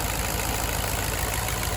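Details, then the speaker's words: 2009 Infiniti FX50 V8, P0301 code, idling with hood open after stumbling and shaking on the drive home: uneven, loping beat instead of a smooth rumble; cylinder 1 misfire, bad coil pack suspected. "Yes, the Nissan V8s have a little bit of noise going on, but I can hear that lope going on."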